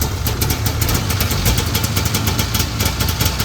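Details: 1982 John Deere Liquifire 440 liquid-cooled two-stroke snowmobile, a barn find that sat at least 20 years, first start with choke on. Fast, even popping holds a steady idle with a strong buzzy beat; it runs normally.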